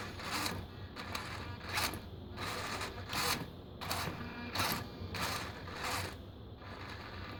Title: Savox servo clicking sound